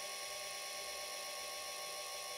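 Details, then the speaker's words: Charger cooling fan on a smart BMS battery setup (up to 20 cells connected), switching on as charging and balancing begin: a steady high whirring whine with fixed tones; the fan runs noisily at start-up. "Donc mon ventilateur fait du bruit au démarrage."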